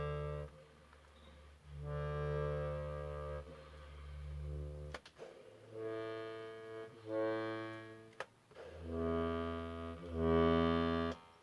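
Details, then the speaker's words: Accordion under restoration, bass-side reed block with other reeds isolated: lowest bass reeds sound clean and hold steady pitch with no buzz or waver, reading in tune on the tuner, so left untouched. "So those lowest reeds actually sound fine. They sound, and on the tune they look, they're absolutely fine. So I'm not going to touch those ones."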